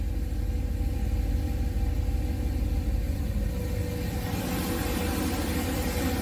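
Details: Boosted 408 LS V8 on its third start, warm with coolant steady at 199°F, thermostat apparently open, oil pressure good, not burning oil: deep, even, smooth idle with no ticking or knocking; normal idle.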